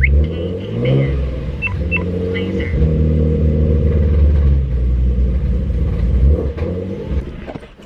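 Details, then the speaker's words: Nissan 350Z starting after a valve cover gasket replacement, catching with a lumpy, uneven low rumble and surging revs that never settle; rough running, owner suspects a leak or an unconnected part, cause not confirmed. "That did not sound good at all. I'm gonna try turning it on one more time and giving it a little bit more gas, maybe because it needs more gas pumped into its system."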